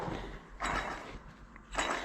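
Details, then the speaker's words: Krone Swadro 1010 rake gearbox being torn down, rotor turned by hand: two rough gritty scraping bursts from worn bearings, to be replaced. "I got one out and then our battery died yeah didn't get very far no but you can hear these bearings"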